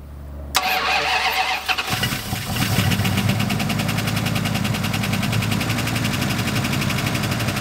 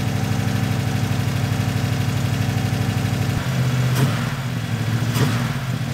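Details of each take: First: Turbo V8 Dodge Diplomat police car after oil change and fuel flooding: cranks, catches, then idles with loud quick ticking knock from a rocker until oil primes; no bottom-end knock. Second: Turbo V8 police car (Diplomat) running after the fuel pump filled the engine; it idles with a steady deep low burble and no knocking, sounding healthy, after an earlier loud rocker noise while the oil primed.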